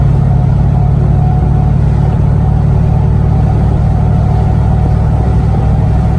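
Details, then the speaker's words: Atturo TrailBlade MT 33x12.5R22 mud-terrain tires at about 30,000 miles, louder since rotation: a steady low roar and hum at 60–62 mph highway cruise, windows up then down, no thumps or rhythm, just the normal mud-tire drone. "But if you're just cruising, windows down or windows up with it just quiet, you'll definitely hear the tire noise. There's no getting around that."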